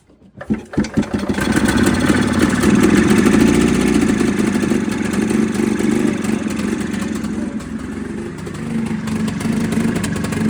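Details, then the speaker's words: 1987 EZGO three-wheel golf cart, sat for years, first run on choke drawing fuel: coughs to life into an uneven, lumpy idle that wavers and stumbles. Still needs carburetor work. Rough running, likely fuel-related. "So it's running kind of rough. We got it with the choke on it and we're drawing out a bit of fuel right there. But it is going to run for sure, guys."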